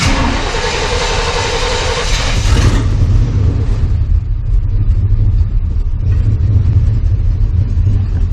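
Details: 1987 Chevy V10 pickup with a rebuilt TBI throttle body, new fuel tank and pump, restarted right after shutdown: it catches and settles into a steady, even low rumble with no stumble or knock. Healthy idle.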